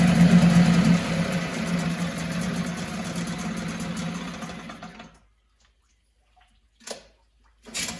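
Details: 1974 Mercury 4 hp single-cylinder two-stroke outboard with Thunderbolt ignition, warm restart without choke after 45 minutes: steady even buzz with no misses or knocks until shut off; runs like new, pumps water properly, normal running.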